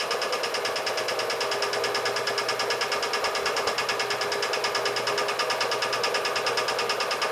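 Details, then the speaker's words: Air compressor running: fast, even pumping chatter at a steady pace, no labouring or stalling; normal, owner concludes about 40 psi in the tank had prevented starting. "Amazing! That's all it took. So I guess if it does have 40 pounds of air in the tank, it will cause it to not start."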